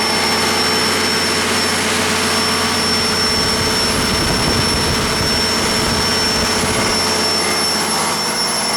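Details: 1959 Caterpillar D337F diesel generator set, ex-hospital, barn-stored 10–12 years, about 959–960 hours, running with no load and barely at operating temperature: steady, even roar holding speed, no knocks or misses; normal running.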